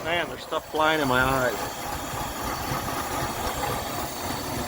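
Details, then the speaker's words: 1978 Mercury Marquis Brougham 400 after new fuel pump and filter, getting it running: uneven loping idle with dropped pulses; missing pretty bad and running rough, some spitting. "is running rough now it's missing pretty bad"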